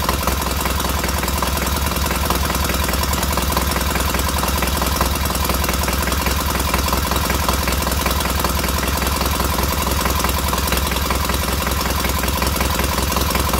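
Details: Freshly rebuilt K750 twin on first start-up, after a minor ignition fault stopped an earlier attempt: even, steady idle beat with no misses or knocks, both cylinders firing cleanly and heating equally; normal idle.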